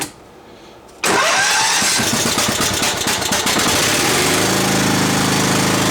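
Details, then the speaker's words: Sears riding tractor single-cylinder engine after carburetor cleaning and fixing run issues from sitting months: quick crank, catches at once, settles into steady even idle with no misses or knocks; normal start and idle. "choke not that guy idle's nice uh everything seem to work on it fine"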